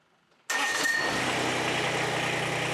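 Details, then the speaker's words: Kubota BX25 small diesel tractor, warm, glow plugs used: with throttle advanced past a click, faulty fuel shutoff solenoid lets fuel through and engine catches at once, settling into steady even run; fuel shutoff solenoid fault. "so this here right here this is the fuel shut off solenoid so when it activates it turns the fuel off which shuts the engine off"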